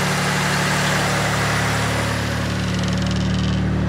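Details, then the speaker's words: Mitsubishi Legnum VR4 with suspected oil burning (turbo or head gasket), start-up during a basic engine health check: steady, even idle with a smooth low drone, no knocks, ticks or misses, no visible smoke; sounds healthy. "it sounds sweet isn't that actually yeah i don't i don't see any smoke in"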